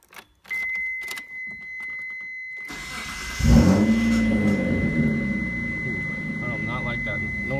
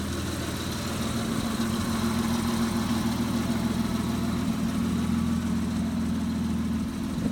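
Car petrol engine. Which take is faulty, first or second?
first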